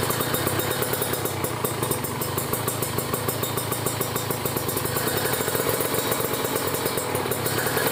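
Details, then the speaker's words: Ninja RR two-stroke with PWK30 carb re-tuned after ground wire install (JJY needle clip second from top, pilot jet 42, main jet 140), just started and still cold: crisp, even idle with fast steady popping beat, no hunting or stalling. "Kita coba dengerin ya suaranya ya teman-teman. Nih suara langsamnya kayak gini ya."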